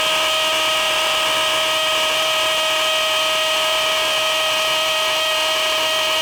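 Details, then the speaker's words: DeWALT DCD999N cordless brushless hammer drill on a full 1.7 Ah PowerStack battery, gear 3 hammer mode, 25 mm rotary hammer bit into 20 cm K250 concrete: steady high motor whine under load, no grinding; drilling cleanly and healthy. "uh dari suaranya aja itu impactnya sangat-sangat Berasa ya"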